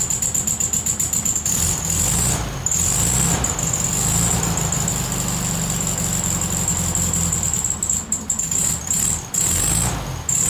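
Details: VW Beetle 1300, reassembled with the carburetor filled with fuel and wiring sorted, test start before timing is set: the idle sags and stumbles, nearly dying, and it won't hold a steady idle.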